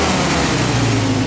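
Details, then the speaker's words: 1948 Willys CJ2-A Jeep four-cylinder revved after a suspected stuck valve: steady drone holding through the rev with no obvious stumble, now firing on all four cylinders though still missing a little; running normally on all cylinders. "boy he'll be happy as hell to hear it running on all four"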